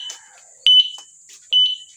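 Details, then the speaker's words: E-bike alarm after replacing a rusted horn relay that had made the alarm sounds mix together. Two sharp, high chirps sound while the signal lights flash, so the alarm now works properly. "Dapat ganyan mangyayari. Natunog siya at the same time naandap yung ating signal light."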